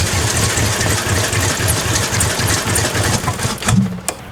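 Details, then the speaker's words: Crown Victoria drift-build car started after sitting unused: an uneven, lumpy idle with irregular low pulses and occasional stumbles. Rough running, cause unknown; later said to run OK with Seafoam. "we've got to keep looking and figuring out what is the deal why is it running like that all right we started up you hurt it runs like [ __ ] so there's"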